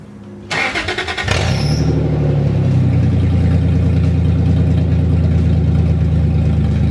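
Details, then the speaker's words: Truck cranks, catches and settles into a very loud, deep, raw rumble with the exhaust removed after the headers to repair a leaking muffler; open exhaust. "so anyways I was gonna show you guys how loud my exhaust is from just like the headers down there's like a white pipe but like it's basically from the headers down so I just remember it being like wicked loud"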